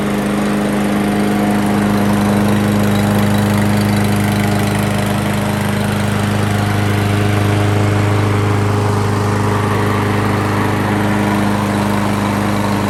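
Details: Craftsman Gold Series 6.75 Briggs & Stratton mower after cleaning its plastic carburetor, which was clogged by stale fuel: steady, even single-cylinder drone with constant pitch, no misses or knocks; running smoothly and healthy.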